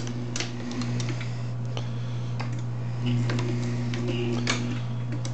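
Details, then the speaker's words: MEC AutoMate press drive run on reduced line voltage, about 40 V and lower: steady low electrical hum with irregular light clicks; slow to start and sluggish but still reaching bottom stroke. "definitely a delay on start but it's hitting the bottom stroke and it seems to be working okay"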